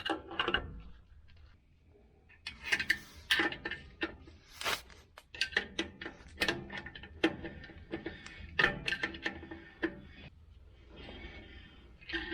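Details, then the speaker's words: 2012 Ford F350 rear drum brake, troubleshooting brake noise: irregular sharp metallic clicks as brake tool turns the star-wheel adjuster and its spring snaps over each tooth; normal drum brake adjuster clicking. "got this brake tool right here that's what I'm going to use to turn it down with you'll hear it click on that spring"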